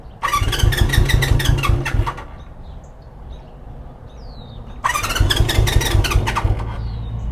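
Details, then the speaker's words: 1973 Honda CB350 Four, new plugs, in neutral, choked: engine catches, runs briefly, dies, restarts and fades again; owners suspect it is running out of gas, then add 1.2 gallons. "I think I think we're running out of gas I think we're gonna have to fill this thing up with some more gas"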